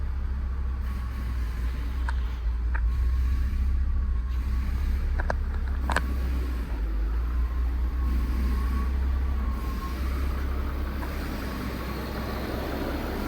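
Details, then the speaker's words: 2003 VW Phaeton W12, 73,000 miles, sat about 7 years, known hot-start issue (won't restart right after running): deep even low drone, no knocks or misses, few faint clicks; engine runs great; normal running. "But other than that, the engine itself actually ran great, as you can hear in these clips."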